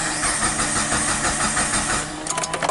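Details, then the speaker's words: 2003 Mitsubishi Lancer with a 4G18 engine, which stalled suddenly on the highway; no DTC and no spark. Steady cranking churn that briefly started then shut off, now cranks without catching. A crank no start. "oh so you heard that a crank started and then shut off so now it won't start again see what's good"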